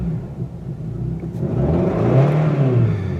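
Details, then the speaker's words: Circa-2000 Toyota Camry 4-cylinder, 5-speed manual, check-engine light on, revved from idle: uneven, lumpy low rumble that stumbles as revs climb, sounds like a dead cylinder though none found; cause not pinned down. "it sounds like there's a dead cylinder but there's not a dead cylinder so I'm going to have to do some looking into this to see what it is"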